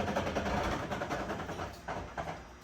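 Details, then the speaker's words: 1973 Dodge Challenger rebuilt rear suspension with new leaf springs, lowered onto its wheels: short, thin squeaks and creaks from polyurethane leaf-spring bushings despite silicone grease; polyurethane bushing squeak. "That's good though. That sounds awful. That's in polyurethane bushings."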